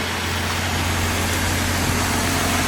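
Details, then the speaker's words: 2016 Ford F-150 3.5 V6 first start after the correct starter was fitted to a supposedly locked-up "dead" engine; cylinders had been filled with thick fluid that smells like Marvel Mystery Oil. Idle is quiet, smooth and even, with no knocking or ticking. Normal idle. "But that engine is quiet. Look at that."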